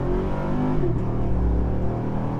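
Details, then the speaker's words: V8-swapped Chevrolet Colorado with a new titanium exhaust, under medium city-style acceleration. A deep, smooth V8 burble climbs through the revs without getting louder or droning. Normal exhaust under acceleration. "yeah, it doesn't get any louder. That's the amazing thing, is it just goes through the RPMs quicker. It doesn't get louder when you're on the gas."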